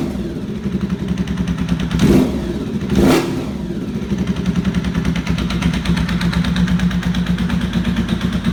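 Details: 1992 Honda VFR750 streetfighter with two front-cylinder header bolts missing and part of the casing sheared away: uneven idle with a loud, irregular knocking puff that sharpens on two throttle blips; exhaust header leak.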